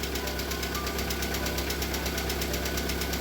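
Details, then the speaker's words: VAZ Priora with a 126 engine, cold start on flushing oil after a cheap oil was drained dirty: rapid, even metallic hydraulic lifter tapping over the idle hum after one to two minutes. It stopped after about five minutes. "короче поработала наверное минуту-две всего гидрики заскучали вообще жестко"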